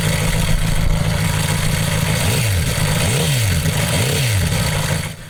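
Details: Homemade four-cylinder CD125four engine (Honda Monkey converted, ver1.1) in the bike at a riverbank: revving up and down with light fast ticking clatter from the head; rocker arms unadjusted since no feeler-gauge access, valve-train noise.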